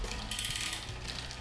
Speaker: że przy zbyt napiętej lince Zobaczcie łańcuch już prawie chciałby wskoczyć na następną zębatkę ale jednak nie wskakuje ten właśnie dźwięk oznacza że mamy problem najłatwiejszy problem w sumie z napięciem linki